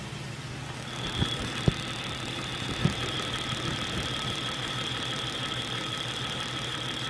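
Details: Jeep XJ Cherokee at 175,000 miles with an intermittent knock since 125,000, mostly when cold, chassis-ear clamp at the base of the dipstick tube near the oil pan: sharp irregular knocks over a steady hum and whine at idle. Cause unclear.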